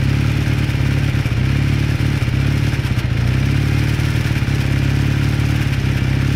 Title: 81 KZ440 Warm Up - Knocking Noise